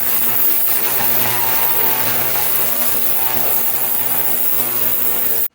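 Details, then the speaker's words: Ultrasonic cleaner heating with a jar of solvent and fan parts inside, which makes it louder: constant loud buzz with a steady low hum and high hiss that cuts off cleanly; normal running. "I'm starting the video early so you can see here rather here how loud it is it's not too bad it is louder now that I put the jar in here"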